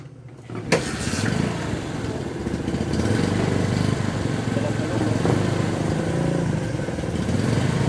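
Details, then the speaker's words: Honda Supremo TMX motorcycle idling right after an oil change: one sharp start thump, then a low, steady idle putter with no knocks or rattles; normal, healthy idle. "So ang ganda ng tunog ng minor niya. Iba talaga pag napapalitan ng langis eh."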